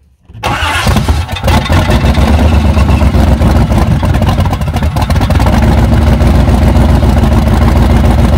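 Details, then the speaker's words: 1994 Chevy C1500 Silverado fed from a jug: long steady cranking with weak pops, never catches; fuel filter fully dry, suspected bad fuel pump or low fuel; cranks but won't start. "well I'd say I don't think it's pumping anything nope filter is fully dry it might not have enough gas in it to pick up"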